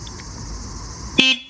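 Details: 1973 Harley Sportster custom build: a short, clear, high-pitched horn toot over a quiet background while the lights and turn signals are being checked; the horn works properly.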